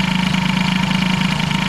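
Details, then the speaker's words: Air-cooled hybrid Peugeot 103 with Airsal 65 during carb tuning: fast, slightly uneven pulsing idle with a wavering rhythm; the owner suspects a slight ignition fault and may try another original part or an engine-to-frame ground. "tout ça donc bref ouais au niveau de l'allumage il a l'air d'avoir une petite vignette donc écoutez je ne sais pas j'ai un autre accord d'origine qui traîne"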